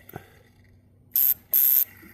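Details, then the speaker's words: 1982 Porsche 924 Turbo with a rebuilt engine, first fluids and fuel-up: two crisp hissing bursts as the hot-wired cold start injector sprays. The tank bubbles as it draws fuel through the fuel distributor; the injector works properly. "injector and I can it's pulling fuel I can hear the fuel tank bubbling so it's drawing fuel all the way through the fuel distributor"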